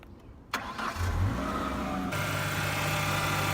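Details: Ford with a loud power steering pump: engine catches, then a steady high whine rides over the idle as the pump sucks fluid, from air in the system; the whine goes away after flushing with ATF.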